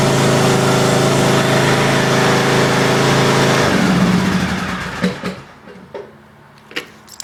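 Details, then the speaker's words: Craftsman YTS 3000 tractor, cold start on choke after sitting about two weeks without touching the battery: an even, steady low drone idle for about four seconds with no misses or stumbles; a healthy cold start. "started right up that's going to sit in foam what about two weeks think it hasn't been started in two weeks"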